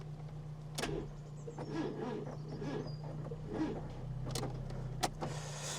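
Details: 1996 Fiat Cinquecento Sporting, 26,000 miles, abandoned seven years: starter whirs with slow, labored turnover pulses about once a second, never catching; no fuel pump heard. Weak cranking suggests a flat battery, which was then replaced with a new one.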